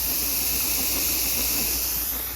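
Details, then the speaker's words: Electric water-bath canner processing two quarts of bread and butter pickles, timer set to 10 minutes: even, steady hiss of steam, no sputter or surging; normal steam venting. "And it'll start spinning like this, but then we have the steady stream of steam. You can hear it"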